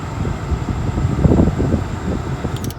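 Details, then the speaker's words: 2004 Toyota Camry after blower motor and blower resistor replacement; blower on high: strong, steady rush of air with an even low hum and no rattle or squeal. Before the repair, airflow on high was barely coming out. "so before on high it was pretty much like on load like it was barely coming out and now we got full power"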